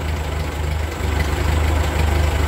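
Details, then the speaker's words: Ford 8N tractor after a carburetor rebuild and governor adjustment, settling from a rev into a very slow, smooth idle with no hunting; idle screw about three-quarters of a turn out, slightly richer than book; normal idle. "I'm sitting here at idle at about seven four is just crazy slow this sounds plenty slow over anything I need to do"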